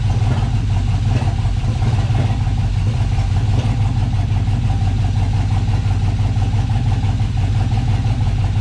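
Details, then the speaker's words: LS-swapped 1988 Firebird on first start after fuel system install, new ECU, oil pan low; deep uneven idle with unsteady low rumble, no ticking or knocking; runs poorly, owner suspects the new ECU still needs to learn. "doesn't really have a cold start but I should go up higher but that ECU might need to [Music] learn it's running not very well"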